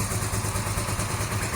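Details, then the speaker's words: 1982-83 Honda V45 Sabre V4 café racer after correcting float bowls set far too high, fuel screws 2 3/4 turns, on choke, cold: even, steady idle on all four cylinders, a little rough as it needs to warm up, no misfire. "The bike sounds quite different. Oh, needs to warm up."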